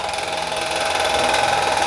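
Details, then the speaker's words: Household stand fan (pedestal fan) running after capacitor and wiring work: loud, harsh rushing drone with steady whine; motor shaft worn at the bearing seat, bearing suspected bad. "ये देखें हमने इसको चला तो दिया मगर इसकी आप आवाज सुन लेने अंदर कितनी जबरदस्त खतरनाक आवाज है इसकी"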